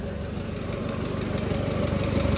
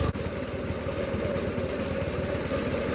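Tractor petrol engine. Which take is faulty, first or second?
first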